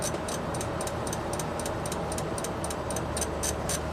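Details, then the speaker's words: 2004 Toyota Avalon, 1MZ-FE V6, with a flashing check engine light, an erratic temperature gauge and cold-start stalling: uneven ticking from behind the dash about twice a second, changing with load. The cause is unknown. "me rev it up a little bit just in park huh so anything over 1200 RPM it starts clicking that blows my mind absolutely blows my mind"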